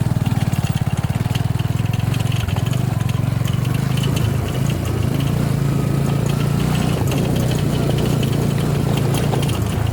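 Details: Suzuki V-Strom 250 SX small engine idling with a fast, tinny rattle over its steady low thump: engine rattle at idle.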